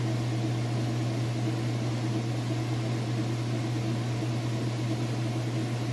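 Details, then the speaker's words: Kenmore top-load washer (matching set, refurbished for resale) in spin cycle, lid switch working: smooth steady low hum at constant fast speed, no knocking, thumping or scraping; perfectly balanced and healthy. "Sounds great. There's no weird noises, and it's perfectly balanced."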